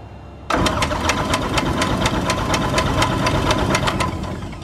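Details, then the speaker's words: 2006 Zodiac 601XL SLSA aircraft engine, sitting 8 years, cranks quickly at an even beat but never fires; there is no fuel pressure and the primer isn't working, and it fired right up once pressure came: cranking without starting, no fuel pressure. "But what I'm seeing here is we're not getting any fuel pressure. All right, ready? Why does the primer not work?"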